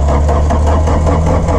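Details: VW Rabbit truck diesel, first start after sitting about 15–17 years with fuel run through the lines: loud low clatter, uneven and lumpy in its beat. Running rough after long storage.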